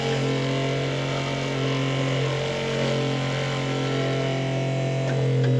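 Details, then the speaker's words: Spectra sailboat watermaker after replacing the high-pressure pump, running in auto mode after priming: smooth, steady hum with even pitch and no knocks or grinding; the Clark pump cycles and the system produces water. "so what's happening now is it's going to Prime for about 10 or 15 seconds and then we should hear the Clark pump here start clicking over and it should start producing water"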